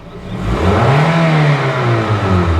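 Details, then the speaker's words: 2005 Toyota Matrix 1.8L, over 400k miles, after P0171 lean repair (gummed-up MAF, blamed on K&N filter): quick throttle blip revs up instantly and returns cleanly, no hesitation; responsive, fixed. "It jumps up quickly, instantly."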